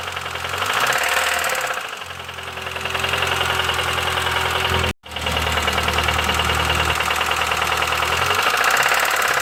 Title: Bruit moteur essence - Bruit Claquement moteur - mecanique mokhtar - من اين - d'où